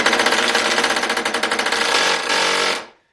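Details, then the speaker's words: Ryobi impact driver, a few years of hard use, reassembled after a teardown that showed almost no wear, run at normal versus high speed: rapid, even hammer blows, about four a second, over a bright motor whir, quickening slightly before release; seems to have more torque before kicking over to high speed; healthy. "so not exactly the most linear speed and it almost seems like it's got more torque before it kicks over to that high speed they're just kind of rattles"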